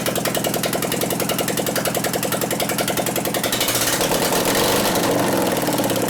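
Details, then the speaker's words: 2001 Gilroy Indian Chief V-twin race-bike rebuild running without exhaust pipes after the plug wires were pushed over: a loud, uneven, lopsided thump about 210 a minute. Misfire; owner suspects a dead cylinder from ignition, not confirmed. ">> it actually acts like it wants to hit, but it doesn't. >> I pushed the wires over and it started right up, but this is not how it's supposed to. >> I bet it's got a dead cylinder from ignition."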